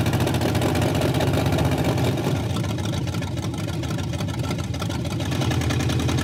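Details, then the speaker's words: Barneville first run after work, idle choppy and uneven with a stumbling beat three or four times a second, running on only four cylinders; a misfire. "It's alive. Well, 62% of it. That sounds really terrible. And it's running on four."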